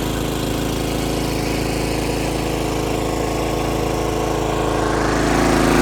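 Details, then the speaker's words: John Deere RX75 rear-engine riding mower on test drive after ignition switch replacement and reassembly: single-cylinder pulls steady and even, revs climbing slightly at end, no misses or stumbles; no hesitation, healthy running under load. "Went for a test drive, no hesitation, engine's awesome."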